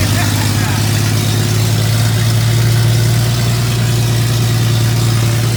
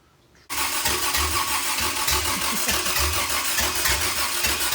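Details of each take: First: Toyota 2F engine just fired after a year-long full rebuild, cooling system not yet plumbed, lifters still to be broken in: steady, even low rumble at smooth idle with no knocks or misses; running healthy. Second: Toyota 2F engine, first start after a full rebuild with an upgraded starter: starter churns steadily at a few turns per second with only faint, weak catches, trying to cough but never really firing; the engine is flooded.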